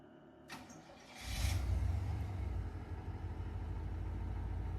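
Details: 1992 GMC Sierra 3500HD after a new fuel pump and with the alarm system disabled: short crank, catches within a second and settles into a steady, even, low idle with no misses; it starts and runs normally.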